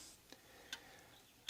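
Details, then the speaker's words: Antique Vienna Regulator wall clock after installing the movement and time-side weight, with the ticks amplified. Crisp, regular ticks with no limping gap; the beat meter reads 2%, so the clock is in beat. "You can see and listen, and that's even. My meter says it's 2%, which means it's going to run great."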